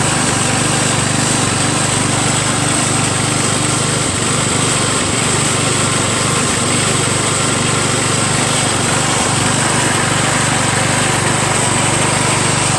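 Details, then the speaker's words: Craftsman LT1000 lawn tractor after new drive belt install, first test ride around the block: small single hums steadily at constant speed, even beat, no misses or knocks; drives fine though a little noisy, engine runs fine. "Seems to drive fine. little noisy, but and the steering's kind of stiff. But made it back okay. Engine seems to run just fine."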